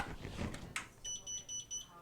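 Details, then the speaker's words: Enhance Mobility Mojo automatic folding scooter that cut out after a bump, running without key: short high-pitched beeps, three at a time, when reverse is selected; front-to-rear harness suspected, not confirmed. "It won't go in reverse, it just beeps 3 times. As you can hear, I don't know if you can hear that."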